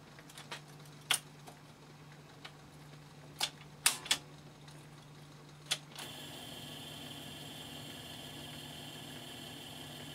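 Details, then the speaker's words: Tatty vintage reel-to-reel tape recorder powered through a series bulb that lights brightly; switch clicks then steady whir with thin high tone as the deck motor spins on fast forward. "So we've got the bulb has actually lit quite brightly there. But the motor is running."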